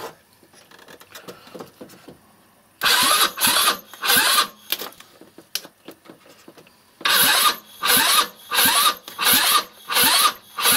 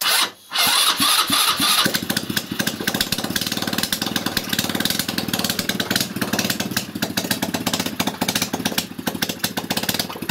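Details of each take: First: 161QMK scooter engine, first start after long storage and reassembly with timing marks set, rusted carburetor damper and oxidized intake: repeated cranking bursts about one a second catching briefly and sputtering before dying; hard start. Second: 161QMK scooter engine after reassembly and long storage: cranks, fires and settles into a fast regular ticking idle with even beats; runs, though muffler blows from the bottom side.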